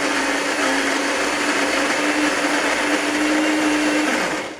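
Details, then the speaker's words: Saeco PicoBaristo SM5478 after an E03/E04 drive/brewer repair, grinding beans during a test cappuccino while the heater warms. Steady gritty whirr over a constant hum for about four seconds, then spin-down. Normal coffee grinder operation. "Kawę zmielim. Czekamy, aż grzałka się nagrzeje."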